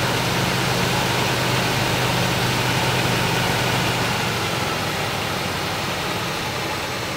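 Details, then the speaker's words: 1965 Chevrolet Impala just restarted after 20 years sitting: steady busy drone that holds high without settling, timing light on; idle running a little fast after first start, gas-smelling smoke thought to be from sitting. "We got our time light going on here. See, it's idling a little fast."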